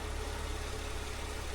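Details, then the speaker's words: Mercedes W203 C240, M112 V6, after resoldering the Temic ECL-G4 400 W extra-fan module that had cut in and out then died: steady low engine drone with even fan whoosh; idle settled, fan running smoothly after repair. "normal normal normal noall function dan fan muter fan kembali normal P kembali normal setelah proses reparasi"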